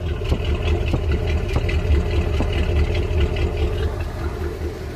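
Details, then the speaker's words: 1986 Ford F250 460ci 7.5L V8, mic at huge exhaust pipe: low idle rumble with uneven puff and stumble every second or so, engine shaking; misfire, owner suspects fuel filter or tune-up (plugs, wires, cap). "But you can hear we've got a little bit of a miss. It may just need a tune-up, you know, plugs, wires, the whole shebang."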